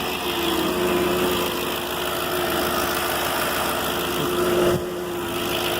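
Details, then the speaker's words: 2006 Audi S4 idling after replacing the cylinder 2 ignition coil and erasing the misfire code; steady, even hum with no stumbles or shaking, normal idle with no misfire. "the car seems to run good no more misfiring no more shaking"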